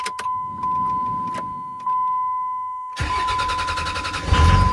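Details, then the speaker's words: 2003 Dodge Ram 3500 Cummins turbo diesel, 559,000 miles, after starter replacement: a few clicks, then a brisk, even crank catching quickly into running; new starter spins strongly, "night and day difference", healthy start. "Oh man. Night and day difference. Nice."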